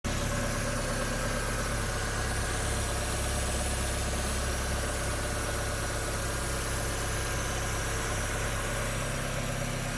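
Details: NA8 Miata idling with a continuous airy hiss from the passenger side of the engine bay; suspected alternator bearing, but hiss persists after the pulley stops.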